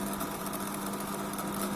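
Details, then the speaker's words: LG MC-7688DP microwave fan motor gives a steady hum with a rough buzzing drone and faint rattle, loud at times, often not on a second start; fan motor noise, needs greasing or replacement. "ये इस मोटर का आवाज़ है। जो आवाज़ आप सुन रहे हैं ये मोटर की वजह से आता है। ये मोटर, इसको वायरिंग ग्रीसिंग करना पड़ेगा, ये तो रिप्लेस करना पड़ेगा।"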